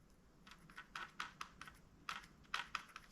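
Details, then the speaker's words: Baitcasting reel with tensioner knob loosened too far; irregular light clicks in small bursts as the spool rocks, side-to-side spool play; fix is tightening the tensioner back up, magnets back to 16. "That's side-to-side movement in the spool."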